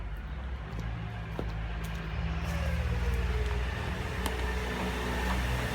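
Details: Hotpoint FEW12 washing machine, hot-wired motor, no ballast, spinning up: low rumbling drone building with drum speed, irregular clicks and slap; badly worn drum bearings, belt slipping and jumping off.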